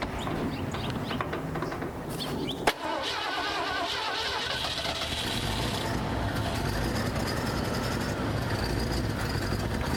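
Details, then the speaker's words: 1982 Ford Econoline-chassis RV V8 leaking coolant, white smoke: cranks, catches with a bang, then runs lumpy and rough, needing left-foot braking to stay running; blown head gasket. "So I did have to do some left foot braking to keep this thing running. It's running pretty rough."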